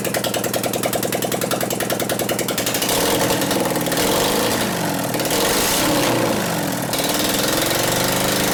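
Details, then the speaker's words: 2001 Gilroy Indian Chief V-twin race bike being rebuilt, started with no exhaust pipes: lumpy uneven beat, about three or four pulses a second with gaps, running on one cylinder; suspected dead cylinder from ignition, intermittent, wants to hit but doesn't. "I bet it's got a dead cylinder from ignition. Something here, right? You can tell it wants to hit."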